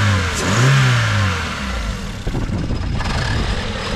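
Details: Scrap Ford Fiesta just jump-started from a flat battery with a Topdon JS3000 jump starter: engine catches and runs steadily, pulling up smoothly through a couple of revs with an even note and no knocks; sounds healthy.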